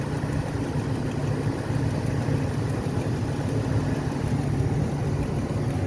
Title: what is that clicking noise?